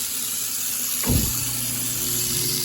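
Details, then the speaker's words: InSinkErator garbage disposal with original Quiet Collar sink baffle, water running: rushing tap water nearly masks a low even motor hum; disposal running quietly and normally, water louder than the unit. "Here, the water is actually louder than the garbage disposal itself."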